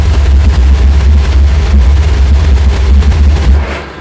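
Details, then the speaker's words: Mazzoni pressure washer boiler oil burner firing after the trigger is pulled, with fan motor and spark transformer already running: a deep, steady roar as it fires evenly and ignites at once, then cuts out cleanly. Normal firing. "the fuel will be introduced it will ignite straight away so let's just give it a go"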